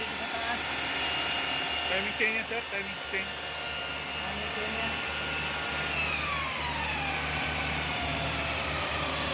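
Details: 2013 Chevrolet Malibu with a customer's humming noise complaint: a steady hum holds over the engine run, its tone sweeping gently downward partway through; timing chain noise is suspected, not confirmed.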